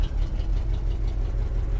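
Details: 1976 Jeep J10 401 V8, sat 29 years, now on electric inline pump and boat tank: rough idle with sharp quick ticking puffs about six per second; passenger-side exhaust collector donut gasket gone, exhaust leak.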